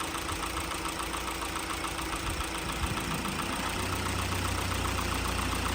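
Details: 2017 Hyundai Elantra 2.0 after an engine swap to a roughly 40,000-mile engine (chassis about 75,000), just refilled with fresh oil, first start: a steady, even idle settles slightly lower and heavier as the AC on high loads it. Smooth and healthy.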